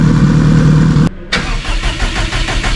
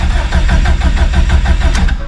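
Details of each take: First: Stock OEM Subaru EJ257 longblock in a 1100+whp STI drag car: cranks briefly, catches around four seconds, settles into a steady, even idle with a smooth low drone; normal idle. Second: Subaru STI with stock OEM EJ257 longblock, about 66° morning, mechanical fuel pump with no lift pump, in neutral: starter churns in even pulses, about six a second, for a couple of seconds without catching while fuel pressure slowly builds.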